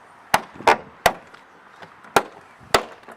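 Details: VW Lupo GTi door check strap: sharp dry cracks in about six bursts over three seconds as the door moves. A new metal bush didn't stop it; the noise comes from inside the worn strap itself, which needs full replacement.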